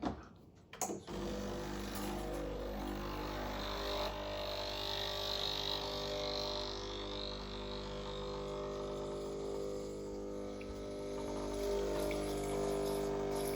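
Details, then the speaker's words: Used Breville Barista Express BES870, blank double shot flushing hot water through the group head, portafilter and basket: a steady pump hum with water rushing, even and unstrained. Normal group head flush. "This will give me hot water into the cup, through the handle, through the basket. It'll warm up all those components. This also sort of acts like a flush cycle."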